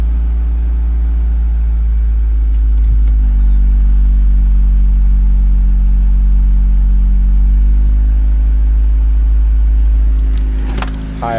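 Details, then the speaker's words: 1992 Honda Accord, cold engine (thermostat not yet open), after cleaning idle air control valve with carb cleaner: deep, steady idle with even beat, no dips, surges or misses; idle consistent. "idle but at least it's consistent of course that didn't open yet so but idle see what it does"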